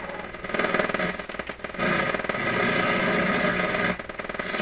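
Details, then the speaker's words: PYE 39HC shortwave receiver on the AM broadcast band with the antenna in the wrong place: low, uneven putt-putt pulsing about four times a second under the hiss. Motorboating oscillation suspected, not confirmed. "so that that sound could be motor boating in the radio and that that really does sound like motor boating to me"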